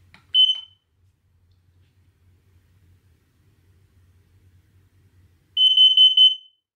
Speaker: testing your carbon monoxide alarm is as easy as this push the button and listen for the